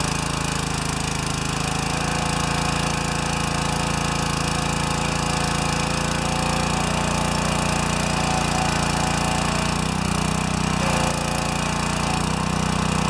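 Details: Pressure washer with a 4 HP vertical-shaft engine after its pump was replaced and the pump collar adjusted: a steady, even engine drone at a constant note with no misses or knocks, running smoothly.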